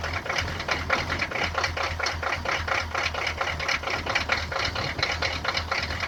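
Loud diesel clatter with uneven knocks about twice a second over a low drone; a cold engine idling rough, cause unclear.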